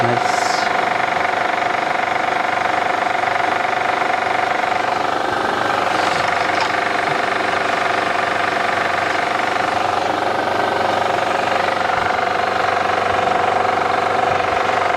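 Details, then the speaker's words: 2008 Honda Odyssey at idle after power steering repair and fluid refill, steering wheel turned: even idle with only a faint steady pump tone and no hissing; power steering operating normally. "alright guys let's pull let's do the turn the steering wheel and no more using sound and easy fix guys"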